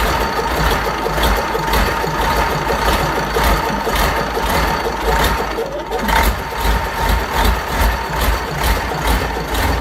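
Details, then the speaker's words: Fordson Major tractor with a Perkins V8 diesel, first start after a long time with tick-over being adjusted: even tick-over with a steady pulse and no misfire or knock as the V8 settles into a healthy idle. "There we go, she runs and drives."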